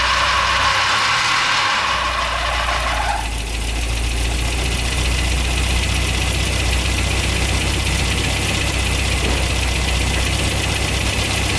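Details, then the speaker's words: Toyota 22RE four-cylinder dually truck, first start after installing a Redline Beast Cam, distributor timing set to about middle: cranks a few seconds, catches, settles to steady fairly even idle with light tick; sounds good, unsure if lumpier. "i think it sounds pretty good but uh i can't actually tell if it's any more lumpy or not"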